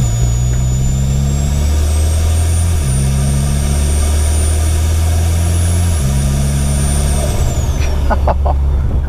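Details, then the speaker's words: Mitsubishi Evo X just fitted with a new 5656RS turbo and FIC 1200cc injectors, still cold, pulling onto the road at barely any boost: a loud, high, clear whistle rises with each pull and falls as the throttle closes through the gears. Normal turbo spool whistle. "that whistle it whistles so loud that's just not even touching any boost really it's crazy"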